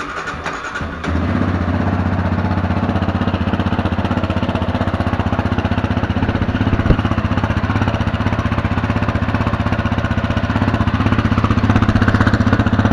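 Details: 2019 Yamaha Raptor 700 with stock single exhaust, before Barker's dual exhaust install: catches after a brief crank and settles into an even, steady thumping idle about three pulses a second; normal start and idle.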